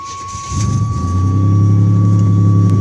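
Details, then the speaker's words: 1986 Buick Grand National, 3.8L V6 turbo, original drivetrain at 125K miles, stock except Flowmaster exhaust (cat retained), K&N and brakes; on startup it catches quickly and settles into a low, slightly uneven idle with a thin whine, running rough; owner thinks it needs a tune. "let's get real startup so you can hear a run but you definitely think it's a tune but y'all haven't gotten around to yet"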